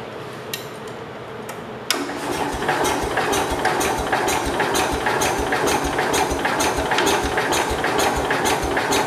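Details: 1969 Cub Cadet 105 garden tractor with a little fuel primed into the cylinder: rapid, fairly even pops over a clattery background as it fires briefly, probably not enough fuel to keep running.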